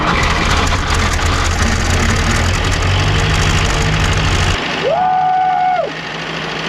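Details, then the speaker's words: Early-1940s WWII Willys MB or Ford GPW jeep four-cylinder, first run after sitting since about 1965, oil pressure over 40 psi: steady, even low chug at idle with no knocking; normal idle. "woo dude what's the oil pressure that second KN no knock it sounds good"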